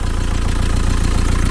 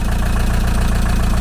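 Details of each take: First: 1987 VW T3 camper with AHU TDI diesel after a turbo replacement, idling: steady diesel clatter with slightly uneven pulses, mild lumpy idle, likely one cylinder; owner suspects a leaky injector and plans to snug its retaining bolt. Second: 1987 VW T3 camper with AHU TDI diesel after a used turbo swap, first run after months sitting, idling unrevved to bed in new oil: even, steady low diesel rumble with regular firing beat, no knocks or misses; a bit of exhaust smoke.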